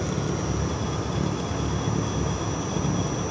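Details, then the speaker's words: Daikin ducted FBQ system with two condenser fans, heard inside the house behind the units despite earthquake straps and thin isolators: steady deep rumble with a low droning hum; vibration passing into the house structure. "hear that that just that Rumble Sam but what we're getting is we're using earthquake straps and we've got some isolators not the thickest isolators"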